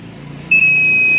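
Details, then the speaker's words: Honda Vario 150 scooter (new ACG-starter model) that dies suddenly: multimeter continuity test across the fuse gives a steady high beep under a second; fuse conducts and is intact, not the fault. "Nah, ini bunyi, ini bunyi. Nah, berarti dari sikring ini pun tidak ada gejala kerusakan nih."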